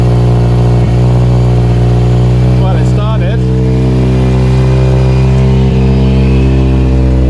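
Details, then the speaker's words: Mazda RX8 231 race car with a new custom 3-inch exhaust, just started and warming, fans not yet cut in: steady, even low drone, smooth exhaust note with no knocks or misses; a normal rotary idle. "Sounds healthy enough."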